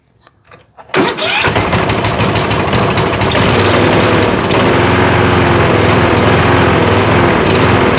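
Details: Troy-Bilt riding mower, Kohler Courage engine, running on choke: it starts after a short crank, then runs loud and hunts up and down; the owner blames water still in the fuel for the surging.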